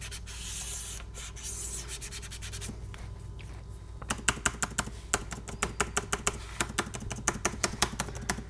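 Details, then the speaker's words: Dell XPS 9570 spacebar after greasing fix for right-side squeak, mic near keyboard: crisp even clicks about three a second, no squeak or rubbing; quiet spacebar. "like we got it I'm gonna put in the left side the right side it's awesome nice and quiet"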